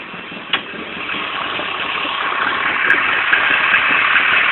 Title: rough idle ka24de